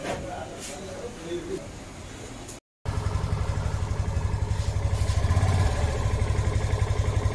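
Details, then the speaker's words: Yamaha FZS V3 motorcycle after opening the engine and replacing worn clutch plates that caused noise and squealing under pull. Engine settles into a steady, even beat, no knock; clutch noises gone, running smooth. "এখন কিন্তু একদম smooth sound চলে আসছে। যে class বাটির যে শব্দগুলো ছিল সেগুলো কিন্তু একদম চলে গেছে।"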